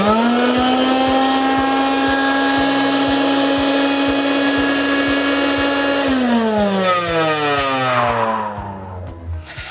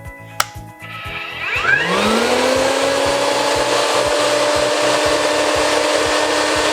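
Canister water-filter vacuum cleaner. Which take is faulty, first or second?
first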